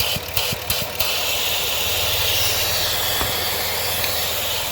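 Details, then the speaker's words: 2007 Dodge Nitro 3.7 V6, 147k miles, check engine light on (P0507, P0456), at idle: steady airy hiss over a quiet idle from a split PCV hose. Vacuum leak; also an EVAP line split. "yep there's a hole in it PCB line I want to say not sure where that hoes go to but I know it's leaking"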